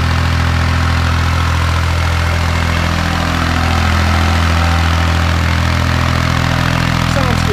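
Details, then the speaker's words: Kubota B7100 diesel tractor driving a NorthStar PTO generator at roughly 4000 W load, about eight horsepower, after three years of use. Even diesel clatter at steady pitch, about three beats a second, no knocks or hunting: normal running under load. "so that's roughly 4 000 Watts putting out about eight horsepower I think it'll go a little more but probably not a lot more"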